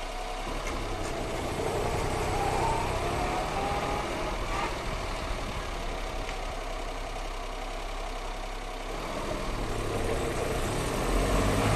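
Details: Brake noise only when the brakes are warm: car rolling with a rhythmic knocking or rubbing from the brakes, about four beats a second.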